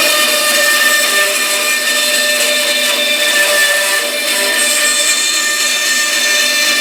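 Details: Small bandsaw with new tires and lower wheel re-secured (was loose on its shaft, wobbling): cutting a curved test line, steady high blade whine with even rasp, no thump or catch; runs true.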